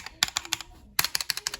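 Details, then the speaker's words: Stock plate-mount spacebar stabilizers on a Drop ALT mechanical keyboard, unplugged, before replacing them with clipped and lubed Zeal Cherry MX stabilizers; this regular key gives crisp, clean clacks with no ping, a normal keyswitch sound for comparison. "see we can hear a little bit of pinging noise in there right especially on the space bar so that's just a regular key but"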